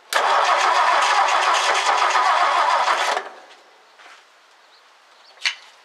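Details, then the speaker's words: 1964 Ford F100 engine fires on gas poured over the carburetor, roars roughly about three seconds then dies; spark fine, fuel system fault to investigate next. "all right i think it runs so now we need to move on to the fuel system and see what's going on with that"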